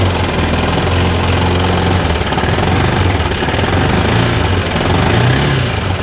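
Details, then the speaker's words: 2013 Bennche 500 single-cylinder UTV, brought in for knocking and smoking, idling with faulty O2 sensor after a part was removed: low, steady thump with no knocking or clatter; sounds normal. Normal idle. "And honestly, I don't hear, I don't hear anything wrong with the motor now since that's gone."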